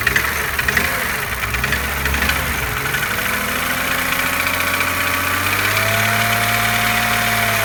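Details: BMW E36 M3 3.0 S50B30 idling, warm or cold: light fast ticking that seems to come from near the oil filter. It started after a restart. Bearings, chain tensioner and valve clearance were checked OK; compression is 160 PSI on one cylinder, 180 on others. Cause unknown.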